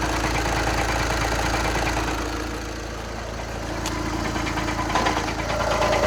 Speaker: Okay, so the way that I figured out how you diagnose your dual mess flywheel is if you hear that rattling noise and then you put it in drive or reverse, it will go away.